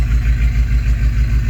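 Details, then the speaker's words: 1985 K20 V8 winter truck with a new exhaust and long muffler, idling in a closed two-stall garage at about 72-74 dB: deep, loud, even exhaust pulses, steady rhythm, no backfires or pops; normal but not quiet idle. "but I mean no backfires I mean it doesn't sound horrible on the other hand it doesn't sound it's not quiet how about that"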